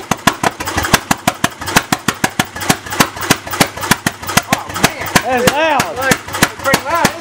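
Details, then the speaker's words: Bessemer engine at its first test start: sharp, loud exhaust cracks at roughly three per second, slightly uneven in spacing. It runs open with no muffler fitted, and the timing still needs fine-tuning. "That thing's a fire breather, man. Yeah. Fine-tune the timing and find a muffler. Make a muffler."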